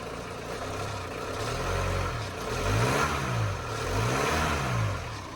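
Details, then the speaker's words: VW T25 camper van with TDI diesel, just started after the gearbox was refitted, idles steadily and is blipped three times, rising and falling smoothly; earlier knocking gone, only usual rattle and belt noise; normal idle and revving. "there's no major noises apart from what I've used to"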